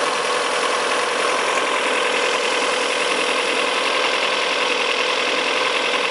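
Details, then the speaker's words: Fiat Brava, engine slightly revved after fine adjustment of the timing belt tensioner: a steady, even idle with a light top-end hum and no tapping or tick. Normal running; the engine noise is apparently resolved. "bom eu vou remontar tudo aqui de novo é pelo jeito e foi resolvido o problema"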